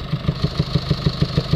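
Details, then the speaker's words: Late 2019 or 2020 Mercedes Vito Euro 6 diesel taxi with ongoing DPF/EGR faults, P300A7A low-pressure EGR flow too low after a new part, revs held: rhythmic heavy puffing about six a second. Exhaust gas is blowing back out of the inlet manifold and air intake. "it's uh producing exhaust gases coming back out from the inlet manifold get that distinctive sound where you can hear exhaust gas coming outwards of the inlet the air intake"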